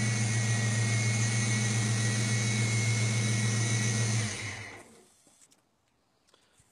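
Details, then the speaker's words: Ford 5.0L Mustang, EEC-IV TFI ignition module: steady even idle cuts out abruptly and dies within a second when the module is twisted by hand; the car had been stumbling at idle and stalling while driving, and the faulty module is dropping out. "it stalls right away when I give the module a twist"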